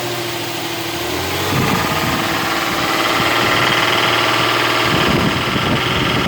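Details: Nissan VQ35DE V6 at idle: a light, fairly regular tapping about four per second rides over the hum, coming from the top end. A top-end knock is suspected but not confirmed.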